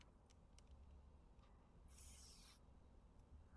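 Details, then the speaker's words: HVAC system under vacuum: hose fitting deliberately unscrewed, short soft hiss as outside air at atmospheric pressure rushes into the negative-pressure line, losing the vacuum so it must be pulled again. "Um, but if you did, you'll hear a little um air because outside is atmospheric pressure, 15 psi, inside is negative pressure. It didn't come out. Air actually went inside."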